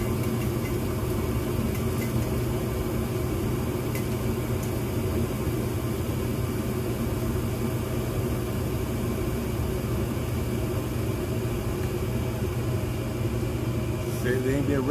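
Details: Gas furnace test run after a tune-up that cleaned the blower squirrel cage and the area around the inducer: smooth, constant drone from the inducer and burners with no scraping or banging; blower ticking is mentioned. Normal startup.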